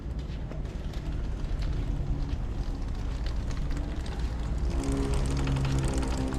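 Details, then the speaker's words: Yamaha Tenere 700 riding with the OEM chain roller removed: steady road-speed drone with low engine hum and tyre rumble, no chain chatter or slap; the chattering noise came from the roller rubbing the chain. "So, there you have it. That noise is gone. As I suspected it was that roller."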